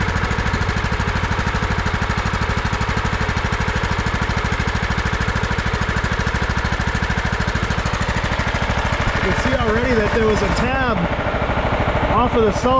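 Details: 2001 John Deere LT133 lawn tractor, 13 hp Command single-cylinder, 5-speed. After a no-crank, it was started by jumping the solenoid with starter spray. Steady, even, strong thump about 2.5 beats a second: running normally.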